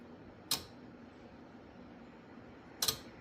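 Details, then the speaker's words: 1968 Triumph Spitfire MK3 after installing headlight relays, camera on the rocker cover: two crisp clicks about two seconds apart as the headlights come on and switch between low and high beam; relays working normally. "So, if you listen, you'll hear a clicking when the when the headlights come on. And when I switch from low beam to high beam, you'll hear another click"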